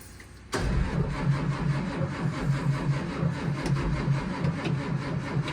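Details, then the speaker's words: One of two school buses (2011 Thomas C2 6.7L Cummins ISB or 2004 Blue Bird Vision 7.2L Cat C7) cold-cranking at 23 degrees, plugged in earlier: slow, labouring, no catch; battery seems to be going dead, smoke from tailpipe. "It actually sounded like it was gonna start, but as soon as it turned over the engine and pushed the warm oil out, sucked the cold oil in, straight back to not wanting to start. Sounds like she's starting to go dead, but it is smoking out the tailpipe."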